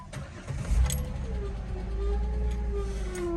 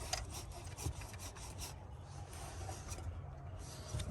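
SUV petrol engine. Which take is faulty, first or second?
first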